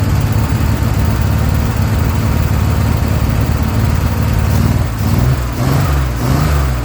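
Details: Chevrolet Corvair Rampside flat-six, revived after 15–20 years in a barn: deep, steady burble with strong low exhaust beat, holding smooth then easing off; running properly.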